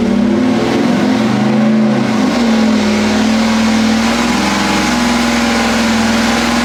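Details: 406 small block Chevy on engine dyno, pump gas, Jegs ported aluminum heads, stock cam, dual-plane intake, ATM carburetor; strong even roar at steady pitch under heavy load, no stumble or popping; pull felt a tad rich, jets leaned two numbers; normal.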